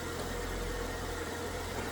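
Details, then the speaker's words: 2014 Jeep JK 3.6L V6 now idling smoothly with no stumble after an earlier driver-side misfire on cylinders 2, 4 and 6 with lean codes; it ran rough with the previous new sensor, with an O2 sensor suspected. "It's just smooth. It was not running like that at all with that other brand new sensor in there."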